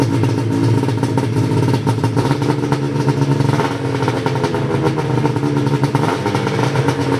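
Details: Ski-Doo 583 Summit two-stroke after HAC failure and delete, rejetted in below-zero cold with needle clips moved from third to second position and new mains (350/340): buzzy steady speed, crisp ringing note, no stumble or bogging; runs normally.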